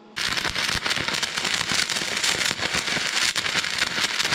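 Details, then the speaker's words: Stick welding: electrode rated 60–90 A failed at 60 and 90, run at 140 A; steady loud sizzling crackle, a touch harsh and aggressive. Arc with amperage slightly high, but weld holds. "Veits palju, aga töötas Vähemalt 140ga saan keevituse mis hoiab ka asju paigas"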